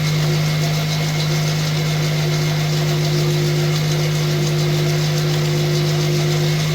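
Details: 2005 Pontiac Vibe, Toyota 1.8 engine, 250,000 miles, good compression, after sitting: steady cold idle with an even low drone and a faint irregular light rattle; suspected timing chain or cam phaser actuator noise, unconfirmed.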